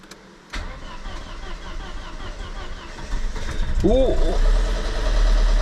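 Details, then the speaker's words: 2001 Volvo S40 petrol non-runner, first start: catches after cranking into a heavy, clattery diesel-like idle at about three pulses a second; rough running, cause suspected, not confirmed. "okay right okay was it it sounds like a diesel but it's a petrol what guys it starts"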